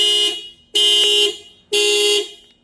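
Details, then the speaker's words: 2026 Subaru hybrid being jump started from a jump box; three loud, evenly spaced high siren blasts about a second apart as jump power reaches the car; alarm is stopped by pressing lock or unlock. "just hit the lock or unlock button, and that'll stop the alarm from going off."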